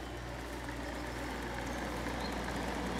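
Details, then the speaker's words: 1982 Hotpoint (GE Fashionaire) 9,700 BTU window air conditioner running: steady low hum with loose uneven rattle from the fan, whose bearings are shot, and the compressor barely audible; fan motor and compressor mounts need replacing. "but yeah again you can't really hear the compressor too well other than the rattling from the fan"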